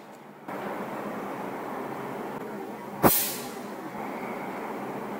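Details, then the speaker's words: Fan capacitor charged from a power outlet, then its leads touched together: one sharp, loud snap over a quiet background hum as the stored energy discharges; the capacitor is good. "means this capacitor is good it's working correctly because the energy from the power outlet was inside the capacitor"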